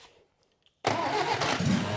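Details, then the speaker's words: 1963 BMC 850cc classic Mini engine, about 60 years old, decades in a farm shed, salvaged distributor and starter fitted: starter spins it with a steady churning rhythm but it never catches, as it has no fuel supply with the carburettor missing. "All right. Let's try and see if we get it to run. Here we go. You ready? Yep. Go. Not turning on."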